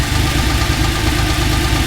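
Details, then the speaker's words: TVR Tuscan after balancing the throttle bodies. Loud idle with a quick, steady tick over the rumble that sounds like it comes from the middle of the engine; source unconfirmed, head removal planned. Ticking at idle. "Um, there's something not quite right and it definitely sounds like it's in the middle."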